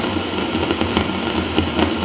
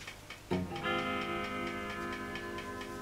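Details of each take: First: Fender Vibro King 115 V amp run through a step-down transformer, taken off standby with nothing playing. A loud steady roar and hiss with crackly bursts appears immediately; not reverb-related. Traced to a small failing brown capacitor. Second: Fender Vibro King amp after replacing capacitor C7 with a 3 kV part to cure a loud roaring noise that came when warm, not yet warmed up: faint steady vibrato tick about three per second over quiet hum, no roar; normal.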